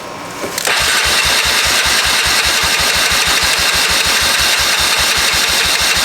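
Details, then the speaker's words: 1996 Honda 4x4 ATV, first start after only fitting a battery, on choke, oil low, carburetor not yet serviced: catches after a short crank into a fast, slightly uneven choke idle. Seems to have decent compression; possible oil blow-by suspected. "fuel's on I think it will start oil is low but it's in there so shouldn't be an issue let's give it some choke"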